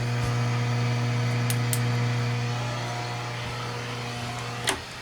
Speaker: i don't know if you hear that buzz or not look at that trace that is these stupid lights listen to the truth hear that i hate that